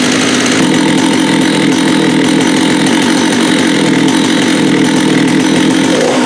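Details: Vintage Jonsered 80 chainsaw after a carb kit and diaphragm change: high, steady two-stroke buzz holding even speed without surging or dying; runs cleanly.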